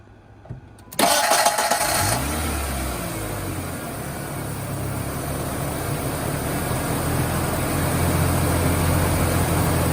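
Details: 1996 Ford Ranger starting after a vacuum leak was plugged: a brief crank, then it catches cleanly and settles into a steady, even idle; healthy at first start.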